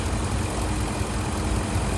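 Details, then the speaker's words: 2003 Chevrolet Suburban after a parking-lot repair of a broken plastic heater hose fitting that caused overheating (gauge crept to 260), restarted after cooling down: low, steady, even idle rumble with no knocks, ticks or misses; normal idle. "All right, it's running again. It has cooled down."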